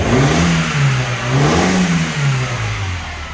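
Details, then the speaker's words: Mini Cooper R56 with N12 engine, after a fix: it revs up and settles smoothly with no more backfiring through the inlet. The loose sensor connector had its pins bent tighter and was reseated; fuel pressure, coils, plugs and timing had tested fine. "so bent bent the little pins inside put it back in it's running perfect there's no none of that um farting through there in there anymore"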